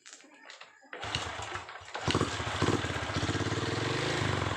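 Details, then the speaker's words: Honda Revo Absolute / Blade 110 that died suddenly, running with the regulator-rectifier bypassed by a jumper, dead regulator-rectifier found as the cause and then replaced; brief cranking, then the single cylinder settles into an even, steady putter at idle with no misfire; normal idle. "ya motor hidup Lumayan kalau buat sementara daripada kita kepayahan narik ataupun dorong itu bisa kita gunakan ya cara ini"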